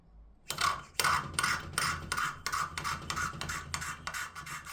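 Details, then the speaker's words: Valve lapping with fresh coarse paste during a DAZA engine top-end rebuild: gritty rasping back-and-forth scrape, two to three strokes a second; the pitch changes as the seat smooths. "just get some more C paste just dab it on the valve and then you'll hear the pitch change again"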